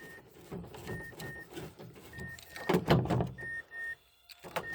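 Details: Mazda CX-7 power window after replacing the broken-tooth gear in the motor and its rubber dampers: short bursts of smooth whirring as glass travels, stopping cleanly, no grinding or clicking; runs freely.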